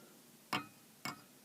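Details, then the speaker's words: Pratt & Read synth keyboard (CAT, Moog, ARP): three sharp, bright clacks as keys hit their stops, the brittle, dried-out rubber key-stop bushings no longer cushioning the key, so it strikes a hard surface. "it's these are just kind of brittle just kind of like ripping them apart taking them off like that and you can hear how noisy these bushings are"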